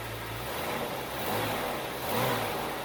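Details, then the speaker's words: Bitter SC (SC 377), Bosch L-Jetronic fuel injection, after fixing a faulty temperature-sensor wire. Fires straight away at the first attempt and runs steadily with a couple of light revs, no stumble or misfire: a healthy start and idle. "I cannot believe it this is highly unusual as I said I'm the person for whom 50 50 decisions go wrong 90 of the time and this was starting at the first attempt"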